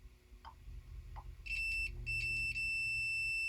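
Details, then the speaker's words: Coleman PowerMate 3000 generator, 5.5 hp Tecumseh, generator not producing power, multimeter continuity test across slip rings: steady high meter tone with two short gaps; slip rings good, though some field windings later show no continuity. "Rings are good."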